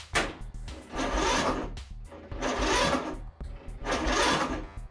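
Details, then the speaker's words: Free Toro 14.38Z zero-turn mower that wouldn't run, battery at 2.8 V then charged: three short sluggish cranking bursts with long pauses, never catches; owner suspects low battery power or failing starter, unconfirmed. "almost exactly the way it was I'm thinking out loud here there's two things it could be one is that I'm not getting enough juice into the system and secondly it could be that starter is going bad"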